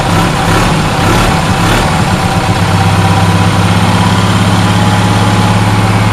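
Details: Onan twin engine after repair: the fuel-pump-side cylinder wasn't firing because a loose spark plug was losing compression. Once tightened, both cylinders fire with a steady, even low thump, no missing beats, and run smoothly. The carburetor likely doesn't need a rebuild.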